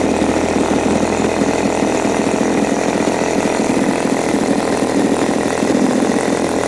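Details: New Turnigy TP31-T 31cc twin-cylinder gas engine (CD ignition, Walbro carb, 3.7 HP at 8500 rpm), first run in a cold room with the choke off: a steady, even, high buzz with no misses, stumbles or surging, running cleanly.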